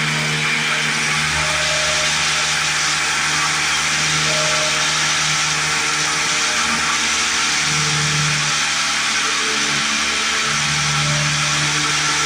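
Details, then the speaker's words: 1950s Lawn-Boy bricktop two-stroke mower engine with low compression, points just cleaned: high, buzzy, fairly steady fast running held only by hand choking; owner suspects a stuck carburetor needle valve and missing choke part. "Our choke keeps coming off. I don't know why that is. I think we're missing something for that. Just choke it by hand."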